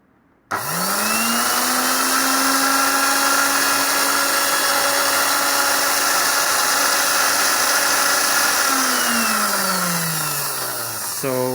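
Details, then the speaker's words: Girmi mini food processor over 40 years old, first run after repair and capacitor resecured, back cover off: motor spins up to an even steady whine, with some vibration/rattle from the missing back cover; runs fine. "you can see it is working really well and that vibration that you are hearing because the the back cover it is not installed"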